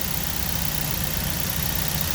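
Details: 2009 Ford Focus after no-crank fault (starter replaced, ignition switch/lock suspected): steady, even idle with smooth low hum, no knocks or misses. Normal idle.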